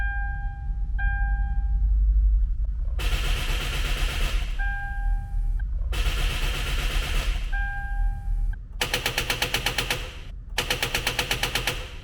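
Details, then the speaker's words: Car barely used for about a week with a discharged battery, lights and horn dim: bursts of fast machine-gun clicking, about ten a second, with a warning chime between attempts and no cranking; drive belt doesn't turn. "Like this, the characteristics of an overdrawn car battery, guys. It sounds like an automatic rifle."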